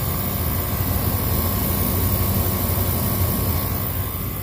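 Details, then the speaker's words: Older walk-in freezer condensing unit, just kicked back on after pump-down: steady low hum under even fan air, no knocks or rattles; sight glass full, condenser clean; normal running. "Alright, our system just kicked back on."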